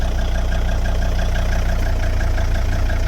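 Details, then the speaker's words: 2003 Volvo XC90 D5 diesel at idle after all engine mounts replaced: heavy throbbing drone about 220 pulses a minute, steering wheel shimmering at engine-cover frequency; stiff wrong torque mount apparently passing vibration straight into the subframe. "The wheel shimmer at idle. It's vibrating at pretty much exactly the same frequency as the engine cover is, which that says to me there's no dampening going on at least one of them."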